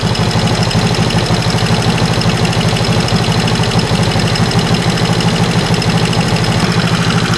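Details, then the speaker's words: Steady, slightly lumpy idle with no change in speed on a warmed-up 1974 Honda CB360 with pod filters and a jet kit; idle mixture screw moved from two turns to one turn out with no effect; owner suspects needles set too high, running rich. "Didn't really hear the engine go up or down, which leads me to believe that the uh the needles are too far up. allowing a lot of fuel to go by."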